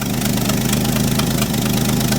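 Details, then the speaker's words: Old bullnose Ford 300 cu in six just converted from one-barrel to two-barrel carburetor, choke set, started first try: steady even low idle with smooth firing beat, no misses or knocks. Normal idle. "That's the first thing I've done in years that worked first try the way it's supposed to."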